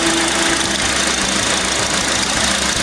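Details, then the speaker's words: Honda Accord after fitting a brand new power steering pump and a new belt: steady idle with a smooth, even pump whirr, no squeal; pump now working properly. "and that's a brand new pump we put in here. It's working, it's doing what it's doing."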